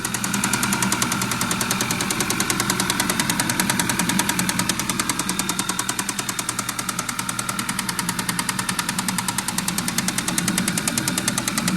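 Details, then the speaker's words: 2013 Audi A6 2.0 TFSI, loud sharp metallic knock about three per second over idle, extreme, no fault stored, not misfiring, runs smooth otherwise, unfamiliar noise (not typical chain slap), location not yet isolated; engine knocking. "The customer's complaint is the engine is making a loud knocking noise. Brought it in, fired it up, and it's extreme. It's really loud."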